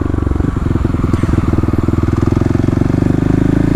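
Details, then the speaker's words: 2018 Kawasaki KLX250 with 351cc big bore, FMF exhaust and EJK fuel controller at near-stock settings, at 6,000 rpm after fitting a new plug: mostly even single-cylinder pulses with an occasional stumble; fouled-plug misfire much reduced, EJK adjustments still needed. "And here we are on the bike now, testing my theory, and it looks like I have to make a couple small adjustments, but as you can see here, when I get to 6,000 RPM, the misfire is definitely"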